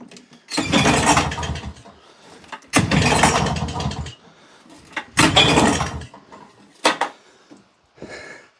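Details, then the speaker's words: Old auction lawnmower: three pull-start bursts, each catching with a ragged roar that dies within a second; it won't keep running. The owner suspects a missing carb jet, citing a threaded hole. "Now, that is definitely trying to go. I think what I'm going to do is I can't help thinking there's a jet missing out of that carb."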